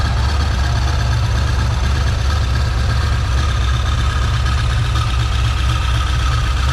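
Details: Freshly rebuilt small-block Chevy 350 (roughly 355) on first start, still cold: a smooth, even, steady idle around 750 rpm with good oil pressure and no knocks, ticks or hunting. Normal idle.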